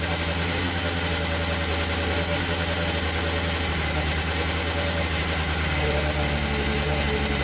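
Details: Hard-used Yamaha Blaster two-stroke quad after correcting a backed-out throttle cable adjustment: steady even idle with a low burble, no misses or hunting, shop fan humming in background. Transmission seal still leaking oil. Normal idle.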